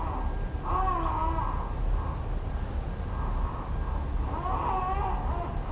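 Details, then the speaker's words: 2002 Toyota Camry during power steering fluid change, key on and engine off, wheel turned back and forth; thin squeak rises and falls twice from the steering, still squeaking. Cause not confirmed. "so you can hear it still kind of squeaking"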